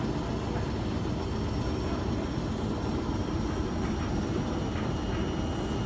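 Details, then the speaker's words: Steady low rumble with uneven churning from a Beko WS832425s washing machine on its first intermediate spin with a bulk, heavy load; the drum runs very unbalanced, with suds lock and shaking. "washing machine is on its first intermediate spin what I said was right it is very unbalanced though"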